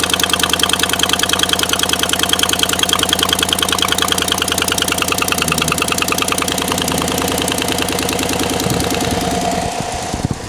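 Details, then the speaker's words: Bought-used 2016 Chevy Silverado, cold start. Fast, sharp, even ticking over the idle that eases off near the end as it warms. Exhaust manifold leak from broken studs on the passenger side, toward the back. "it started doing this infamous cold start ticking noise after all the research that i've done it definitely seems like it's the exhaust manifold studs on the passenger side have broken"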